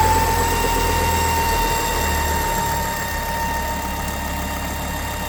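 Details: Ford S-Max 2.5T (Volvo engine) at idle: steady even high whine holding pitch, with strong crankcase negative pressure, from a failed oil filter housing breather diaphragm; the fix is replacing the diaphragm or the complete housing.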